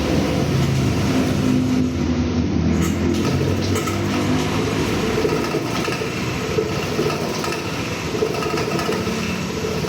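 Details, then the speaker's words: Honda PCX160 scooter running before fuel pump replacement: steady drone with irregular hunting beat and uneven pulses; runs rough, owner suspects the fuel pump, later replaced with a new one. "Ninyo yung andar niya, parang nahangkok. Dito pala nagduda na ako."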